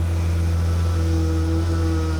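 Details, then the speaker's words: 1991 BMW E31 850i, M70B54 V12, first start after two-year restoration: smooth, steady idle with a thin, constant whine above the rumble from the power steering pump; no leaks. "The PS pump is still being bitchy, but that's fine."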